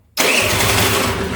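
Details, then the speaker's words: GY6 scooter after replacing the faulty old starter motor with a cheap new one: quick, brisk crank with even pulses, catching almost at once. Starter issue fixed, healthy instant start. "Bro, that cranked so fast. Okay, that was That's what we That is what we wanted to hear. A fast crank and an instant start."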